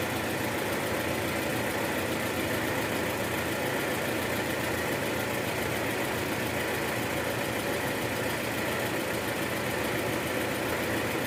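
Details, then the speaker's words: 2013 Toyota Alphard, 2AZ-FE engine, after replacing a destroyed balancer shaft, heard via stethoscope: steady even hiss and hum with no rough knocking; engine now idles smoothly. "oke sekarang suara mesin jauh lebih halus jadi memang penyebab suara kasar di awal tadi itu adalah balancer shaft yang udah hancur"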